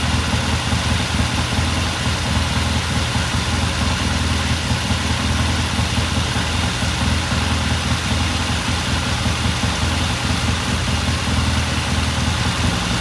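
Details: 1969 Triumph TR6 motorcycle after pilot jet cleaning, with the pilot air screw turned in half a turn for a richer start: an even, steady idle with a regular low beat and no misses or hunting. Sounds good.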